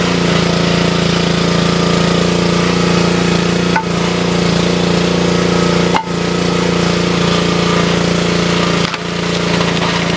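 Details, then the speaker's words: Wood splitter Honda engine, sat 5 to 10 years, after carburetor replacement (Honda 16100-Z1A-802): steady drone dipping briefly at each wood split and recovering quickly; healthy running under load. "We'll test it out with a block of wood. It's always good to load test the equipment, guys, because it requires more fuel when you put any piece of equipment under load."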